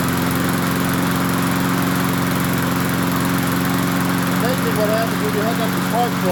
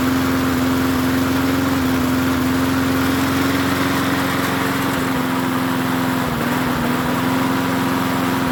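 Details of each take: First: MTD 22-inch push mower, model 11-A084E029, after the spark plug wire was reconnected: the engine runs at a steady, even pace with a constant buzz and no stumbling or surging. Owner notes slight vibration, possibly a bent crankshaft. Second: MTD 22-inch push mower 11-A084E029 after priming, running a steady buzz with brief sags in speed even though the spark plug wire was never hooked up; running with plug wire disconnected.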